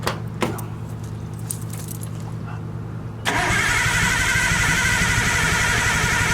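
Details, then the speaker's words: Nissan R32 Skyline cranking steadily without catching after 93-octane fill-up left water and gunk in fuel; tank drained and refilled with about a gallon or two fresh fuel; owner suspects fuel pump dead, can't hear or feel it priming; crank no start. "Right now I'm not hearing it, so that could mean my fuel pump is no longer working."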